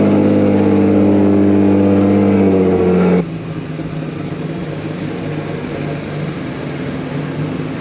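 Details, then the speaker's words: Boosted Nissan Z after fixing throttle body voltage issue with a new harness: loud steady rumble drops at about three seconds to a calm, even idle with no hunting or misses; normal idle, much improved, though an exhaust leak remains. "you guys hear the idol now it actually does idle a lot better with the uh new harness on"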